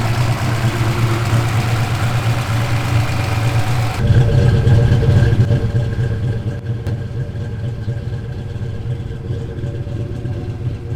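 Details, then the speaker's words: Turbo Fox Body Mustang V8, first start after turbo install, on wastegate spring pressure without upgraded fuel system, exhaust cutout closed: quiet, even low burble, steady with no knocks or ticks; normal idle. "It probably doesn't sound like it, but it's like so quiet now. We gotta get that exhaust cutout open because that is just like a whisper. It's just bloop, bloop. It sounds like a stock car."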